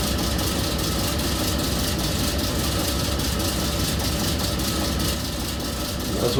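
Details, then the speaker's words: Cooper-Bessemer GMVXD natural gas two-stroke engine, about 1,000 hp, driving a propane compressor at 300 rpm and running 24/7 since 1965: slow, even, heavy beat with steady mechanical clatter, no misses or knocks; healthy running. "a thousand horsepower sounds like folks these things are running 300 rpm they run 24 365 they have been since 1965 at this point"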